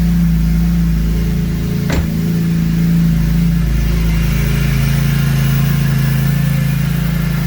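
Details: BMW E46 M3 S54 engine, 139k miles, start after water pump replacement and cooling system overhaul, heater on, before bleeding air; steady even low rumble with no knocks or misses, normal idle.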